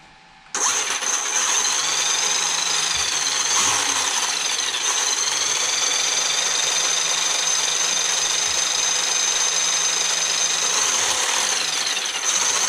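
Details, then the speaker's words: Traxxas X-Maxx 8S RTR RC truck after motor bearing replacement, powered up; high thin whine rising and falling with motor speed over faint rattle from chipped pinion and spur teeth; gear whine. "so the gears are sounding a little funny just because the chipped tooth they put a little ding put a little ding in my ding-a-ding"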